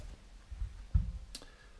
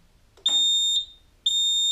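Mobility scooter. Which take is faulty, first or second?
first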